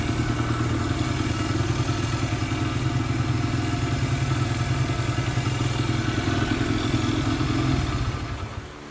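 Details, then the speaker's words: Barn-find Honda single-cylinder dirt bike, parked for years, just fitted with a carburetor; steady even thump at a slightly high idle, then dropping off; running normally. "Sounds like that idle's a little bit high. That's Honda for you."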